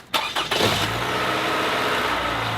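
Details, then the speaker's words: Engine just restarted after an oil change, warming up: smooth, even idle with only faint light top-end ticking; quieter than before, valves clacking less. "let it warm up about five minutes and if you notice compared to what it was doing before the overall engine is somewhat quieter too you don't hear the valves clacking as much it's quieter than it was"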